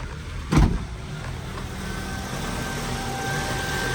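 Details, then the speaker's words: Honda idling rough, RPM fluctuating up and down, code P0507 (idle higher than expected) persisting after idle air control valve replacement; the air assist valve is suspected of sticking open when warm. "I got this Honda right here on the island is really bad you can see the RPM is fluctuating like up and down and the engine is rough"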